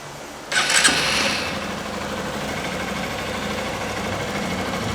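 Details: 2011 Honda Bros 150 single-cylinder motorcycle after repair of a strange engine noise: short crank catches quickly and settles into a steady, even idle with no knocking or rattle; healthy.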